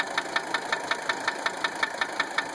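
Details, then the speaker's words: 1980 Mercedes 300SD diesel idling with a sharp even knock, five or six raps a second. Owner suspected injector nailing; cracking injector lines one to three changed the sound, lines 4 and 5 made no change. Cause unconfirmed. "I initially thought injector nailing, but I really didn't have time to play with it, and I wanted some feedback before I started breaking things."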